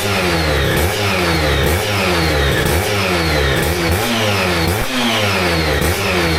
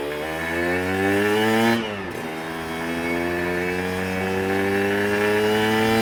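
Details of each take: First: Aprilia RS125 1990s two-stroke on temporary battery after coolant leak repair, with new air filter and modified airbox: crisp blips rise and fall cleanly, no misfire, rattle or hesitation; idles and revs healthily. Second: Aprilia RS125 1990s two-stroke on first road ride: revs climb and flare without matching pull, then drop and rise, a "meow"; clutch slipping badly from too little free play.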